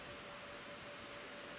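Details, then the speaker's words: ASUS RTX 3090 Ti TUF, stock OC fan curve, benchmark just started: steady loud airy rush, fan at 100%, over 60 dB at the card, temps 83°C rising to 91°C, downclocking below rated boost; heatsink insufficient. "the fan you can hear the fan it's a 100 fan now all right so i'm over 60 db just pointing at it versus the 50 something on the other two"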